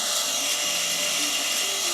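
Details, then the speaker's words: Skywalker V1 with the fan at full speed and the bulb turned down: a loud, steady airy rush with a shrill whine on top. The cooling fan is far too noisy and was returned for loudness. "That's not how it should sound. Yeah, let's turn that off. Okay, so he returned it because the fan was too loud, obviously."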